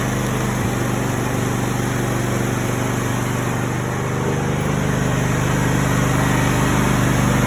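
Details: After fixing a bad solenoid that caused a push-button no-start, engine runs properly with a smooth, even hum and steady low beat, no misses or knocks.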